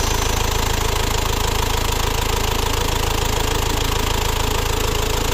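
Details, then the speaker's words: Isuzu Panther diesel after repair of a repeatedly loosening idle/timing gear: snapped center bolt extracted, replaced with custom-made bolt (17 thread, 19 head); steady even idle clatter, no rough knocking, smooth and healthy. "Kita tes hidup, kita dengarkan suaranya. Yuk. Alhamdulillah teman-teman, suara halus."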